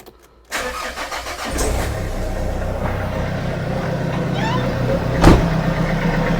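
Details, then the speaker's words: Renault Kangoo 1.5 dCi diesel after an injector seal replacement, air box removed: it cranks briefly and starts right away into a steady, even idle. No tac-tac clatter, so the new seal is not leaking; a normal start. "Là, ça a très bien démarré. Il n'y a pas de bruit suspect, hein."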